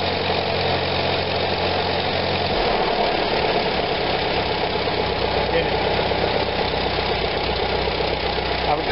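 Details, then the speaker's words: 1945 Farmall BN after Zenith carburetor cleaning of blocked passages, warm after a long ride: steady, even idle that picks up cleanly when throttle opens; normal idle and throttle response, repair successful. "alright guys here's the test after a good warm-up went for a nice long ride I've come home that hit that throttle she was wearing to see what she does"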